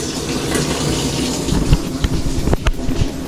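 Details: Washer in test mode after water inlet valve replacement for LF/F8/E1/LO/FL codes; final oxy dispenser fill, steady water rush with a few soft clunks and gurgles near end; clean strong fill, valve works fine.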